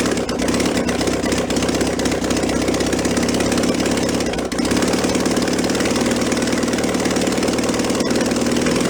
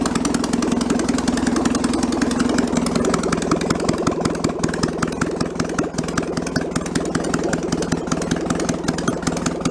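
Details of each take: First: 1966 VW bus air-cooled flat-four, removed engine from a barn, running on a carburetor with automatic choke and primed through the float bowl. Fast, busy idle that never settles. Throttle is sticking and not returning. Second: 1966 VW Bus flat-four engine removed from a barn, test run off the vehicle: even chuff, high fast-idle note fading as the automatic choke warms up and idle drops; carburettor still needs rebuilding.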